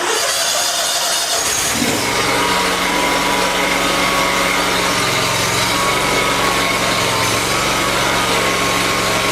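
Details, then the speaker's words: Small engine that previously died instantly when blades engaged or when hot, after fuel problem fixed and fuel pump switched on: fires within two seconds, holds steady buzzing speed with blades engaged, no stumbling or dying; normal running under load. "I can tell you right now that's 100% better than it was 100% if because when you would turn the blades on in the past it would instantly kill the engine I think it's working"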